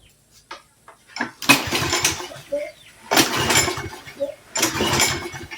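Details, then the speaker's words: Roadside-found Troy-Bilt push mower with no primer: repeated cord pulls turn engine over freely with rattling whirr but it never catches; cranks, no start; carburetor later found dripping, owner says it needs a rebuild. "She pulls over real nice. No luck."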